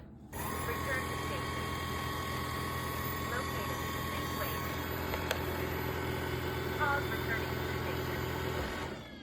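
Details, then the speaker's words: Yeedi robot vacuum-mop: steady whirring drone with a rough, uneven rattle on top; owner unsure whether the bearings should sound like this and says most of the noise comes from the brush roll. "Those bearings supposed to sound like that. In the videos I've seen, I don't think they actually sound like that. But, I don't know. Most of the sound you heard from that was from the brush roll for some reason."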